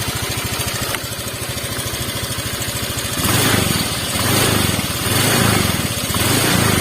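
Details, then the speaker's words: Honda Vario 125 Techno water-cooled scooter whose coolant boils, with a red warning light: rough, uneven idle with a loping pulse and irregular firing after a blip. "Ya mendidih khusus untuk motor ini airnya mendidih ya air mendidih disertai dengan suara mesin yang kasar ya"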